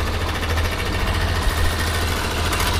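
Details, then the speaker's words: 2011 Yamaha Factor 125 after rocker arm valve clearance adjustment: quick, even single-cylinder idle with no ticking on top; rocker noise gone, normal idle. "mostrar agora o barulho da moto aí finalizada aí com balancinho de regulado e E aí ó ó e sem bater nada não"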